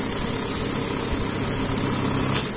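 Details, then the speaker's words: Godrej Swift Turbo desktop bundle note counter in batch mode set to 99: fast, even whirr of notes feeding through, then a brief click as the 99-note batch completes; normal counting operation. "फिर 99 notes के batch complete हो गए, one note."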